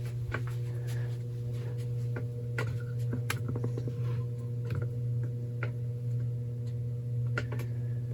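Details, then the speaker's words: 52-inch lighted-housing ceiling fan, believed to be an Encon, on slow low speed: a steady, clearly audible low electrical motor hum with a few faint ticks; normal for this fan. "Super nice slow low. You can really hear that hum in there"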